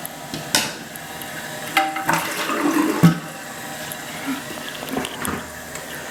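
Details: Toilet tank refilling after replacement with new Fluidmaster universal fill valve: steady water rush with a few handling knocks, no squeal; normal fill.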